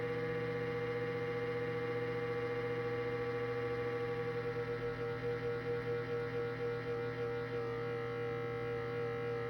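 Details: Cuisinart digital air fryer toaster oven, cold: a steady, loud motor drone with a fixed tone and slight pulsing flutter for about 45 seconds, stopping once warmed up; loud fan motor noise on cold start.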